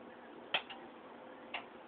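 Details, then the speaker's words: Frigidaire double oven PLEB27T9FCC, bottom oven starting self-clean: two crisp clicks a second apart as the door latch locks before heating to about 900°; normal operation. "you can hear been clicking now it's locked so the bottom door is locked so you can't get in there"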